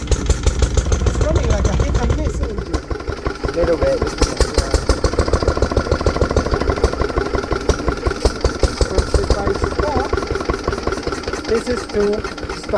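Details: Lister D petrol single-cylinder barn find, first start in 20+ years after restoration: beat stumbles and surges unevenly over a low thump, hunting. Owner suspects timing adjustment and carb settings needed; uneven running.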